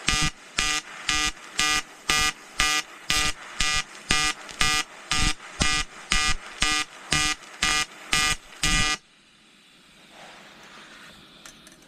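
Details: EWM Tetrix XQ 230 Puls AC/DC Expert 3.0 TIG on 5000-series aluminium with 2.4 mm 2% lanthanated tungsten and 2 mm filler: a crisp buzzing arc pulsing about twice a second, roughly seventeen beats, then cutting out; a normal AC weld.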